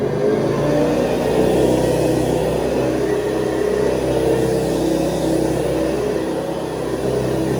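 A steady, fairly high-pitched whirring drone holding even throughout with no knocks or rattles; the vacuum motor is running healthy.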